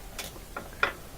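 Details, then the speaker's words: Kenmore top-loader washer that wouldn't spin: lid switch case, cracked from failed glue, held tight with zip ties; after the fix, four crisp light clicks in about a second show the lid switch actuating normally again. "yeah so now we can hear it click we reinstall this it should work"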